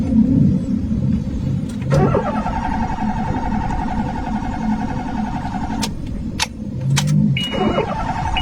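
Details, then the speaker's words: Car with MAP and intake air temperature sensor codes (P0102, P0103) cleared: starter spins steadily about four seconds, twice, engine never catches; crank no start from a fuel pump wiring fault. "तो दोस्तों गाड़ी start नहीं हो रही तो मसला इसमें कुछ और है"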